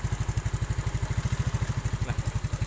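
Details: Carbureted Yamaha Mio scooter that stuttered on first throttle, used too much fuel and lacked power; after carburetor needle adjustment the idle is a steady, even low putter at about twelve beats a second with no stumble: normal idle.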